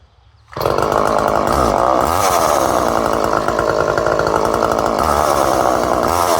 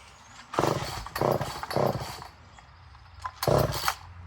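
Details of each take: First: Poulan 1800 Wood Shark two-stroke chainsaw, after carb mixture adjustment: a crisp, steady high buzz for about eleven seconds, then a short clean rev burst; runs smoothly. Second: Poulan 1800 Wood Shark chainsaw with good compression, carb being adjusted, choke on, fuel leaking from the fuel line: fires in short ragged bursts that die back, never holding revs; flooding rich is suspected.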